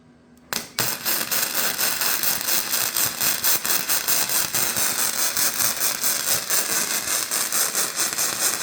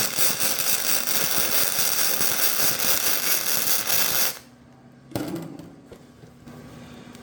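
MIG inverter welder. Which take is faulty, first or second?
first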